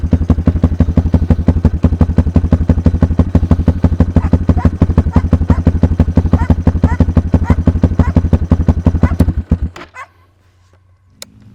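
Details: Kayo K2 230 single-cylinder dirt bike after a new lithium battery, restarted with choke off: even, steady thump at about three beats a second for nine seconds before shutdown; healthy idle.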